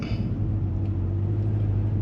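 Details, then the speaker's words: 2016 Cadillac CTS-V, 850HP package, flex fuel, aftermarket camshaft with stock 8-speed automatic and stock torque converter; stopped idling around 840–850 RPM, deep steady rumble with cam chop, no shaking or surging; normal idle. "and right now I have this thing idling right around 840, 850 RPM."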